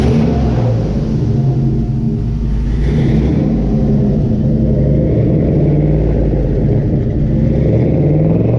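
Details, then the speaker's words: 1971 Chevy Camaro resto-mod, first start after getting fuel to the fuel rails, stainless dual exhaust: deep steady V8 rumble rising smoothly with throttle, no knocks or misses; healthy running. "All right. That sounded awesome. Yeah, it sounds good. Dual exhaust, stainless steel, all that good stuff."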